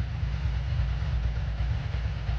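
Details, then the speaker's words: 2003 Ducati ST4S V-twin idling after a gear-selector spring repair, with a loose, uneven rattle over the deep thump from a worn dry clutch that is due for replacement. "I believe the bike will you can hear it rattling its guts down so this bike will be back uh sometime soon for a new clutch that's why it's so noisy at the moment"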